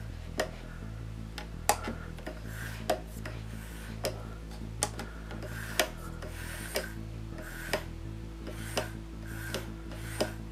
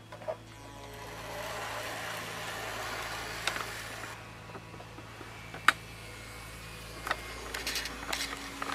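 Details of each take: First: Hornby model locomotive (pug loco) on a Hornby R7229 controller: the motor hums quietly with a soft, even tick about once a second and no controller buzz, normal quiet running. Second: Hornby R7229 basic model train controller: low steady electrical buzz under faint clicks and handling, persisting across different locos, high/low switch settings and higher speed; controller makes the motor buzz, not the loco.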